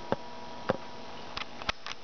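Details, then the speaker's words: Tesla-switch style inverter/voltaic amplifier, frequency reduced to limit transistor heat, battery climbing toward 15.5 V, capacitors charging to about 22 V each; faint steady high transformer hum with soft irregular ticks, oscillating and pulsing normally. "Maybe you can hear the uh transformer. You can actually hear oscillating and pulsing."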